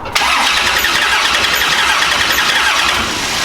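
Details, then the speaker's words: Big-block nitrous Chevy Nova V8, engine in car, before teardown: starter cranks with loud, uneven whir and no clean firing rhythm; runs once started but sounds weird from passenger side; burnt piston later found, causing low compression. "yeah still doing it still kind of doing it so cuz once it starts it doesn't really sound all that bad it runs it runs but like even yesterday it was sounding weird out of the passenger side"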